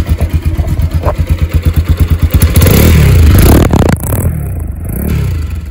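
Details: Bajaj Pulsar 200 motorcycle started after standing since the previous night, after water exposure: uneven chuffing pulses at about three a second settle into a smooth, even roar as revs rise. Normal running.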